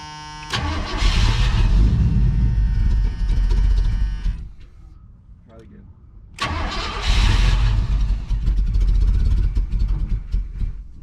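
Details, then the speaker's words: 1980 Chevrolet Cutlass scrapyard car, first start after ignition column work: cranks, catches, runs rough, dies, fires again and stumbles; never primed or picked up fuel, fuel starvation, needs a fuel pump. "It's going to need a fuel pump. We fired it back up. It never did prime. It never did pick up fuel."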